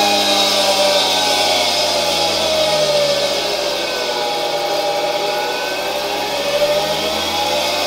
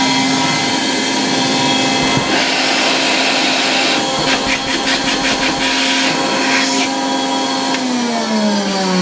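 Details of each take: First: 1960 Alfa II vacuum cleaner's bare motor run on the bench at much reduced voltage through a regulator: steady high rushing hum with a faint rough edge; bearings and turbine slightly noisy but serviceable; brushes to be replaced later. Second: 1960 Polish Alfa II vacuum cleaner plugged straight into the mains briefly, motor brushes very worn and due for replacement: steady high motor whine with airy rush, speed holding even, then falling away at switch-off; normal running, good suction.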